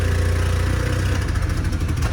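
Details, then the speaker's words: Opel Tigra started with a replacement ECU after the original ECU failed: lumpy, uneven idle with stumbling beats, missing on one or two cylinders; wiring, ignition or injector suspected, heavy smoke; misfire. "Çalıştık. Bir ya da 2 silindir eksik çalışıyoruz."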